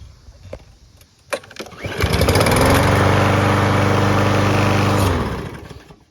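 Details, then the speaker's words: Lawn mower small engine, a little dirty, started on regular gasoline before an isopropyl alcohol test: starter pull, catches at once and holds a steady, even beat for about three seconds before shutting off; normal running. "and it does run it's a little dirty right now but I'm going to start it up just to prove to you that it"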